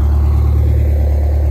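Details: GM Scenicruiser bus, Detroit Diesel 8V71 two-stroke, next morning after sitting overnight, fired right up: deep, steady low drone with an even beat and no knocks or misses; healthy idle.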